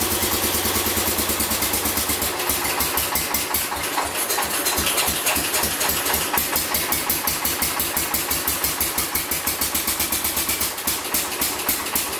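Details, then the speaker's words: Massey Ferguson 14 garden tractor, Kohler K321 single-cylinder, after carb repair: steady, fast, even beat with no pops; previous backfires through carb and exhaust gone, running normally. "perfect when we're running rich Raeleen or whatever no more backfires it was backfire to the curb back front of the exhaust flames with the exhaust so she is ready to go"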